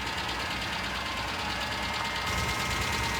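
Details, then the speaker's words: 1998 Ford Ranger 4.0 L V6, automatic, 62,000 miles, idling with steady light ticking-knock; source unidentified, needs mechanical work, tow recommended. "That 4.0 is steady ticking."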